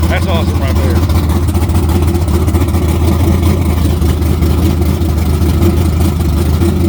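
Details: Naturally aspirated LS engine in a Camaro with a large-plenum intake and a cam under 240 duration: loud, deep, lumpy idle with choppy cam lope and crisp revs; healthy engine with good ring seal, running clean.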